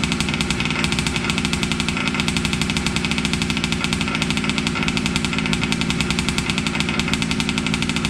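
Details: Losi 5T 2.0 gas two-stroke RC truck on VP fuel after about four to six months stored, choked, started on the workbench up on tires: a loud, fast, steady buzz at even speed with no stumbling or misfires; normal running.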